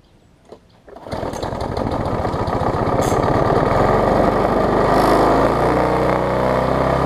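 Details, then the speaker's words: Bolens 21-inch mower, Briggs & Stratton 500 series, built April 2012, bent shaft, governor spring missing: catches and climbs to a high, steady ungoverned scream with buzzy vibration; overspeeding at wide open throttle. "the spring is running wide open and it is vibrating some now if I get it to run at the proper speed it might not vibrate as much and it might be tolerable"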